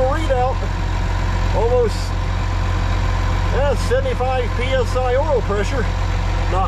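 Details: Case 305 diesel just after an oil service, oil slightly overfilled, first start: steady, even idle with a smooth low rumble, no knocks or misses, birds in background, while oil pressure comes up; engine sounds healthy.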